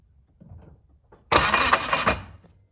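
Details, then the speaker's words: Car with a newly installed Haltech Elite 1500 ECU, being cranked: harsh, gritty, arrhythmic rasp. It has made this noise ever since a 12-tooth crank trigger was installed; it was first thought to be starter engagement. Cause unconfirmed. Abnormal cranking noise. "all right so he put in the 12 tooth crank trigger and it started making that noise ever since then"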